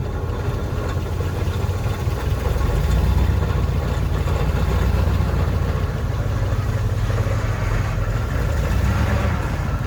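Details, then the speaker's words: 1968 Chevrolet C-20 Custom Camper V8 running on an electric fuel pump after fuel line repair, still warming up. Deep, steady rumble holding an even idle with no stumbles or surging; the engine runs healthy with good oil pressure. "so sitting here look at him just sitting here running like she's been doing it forever"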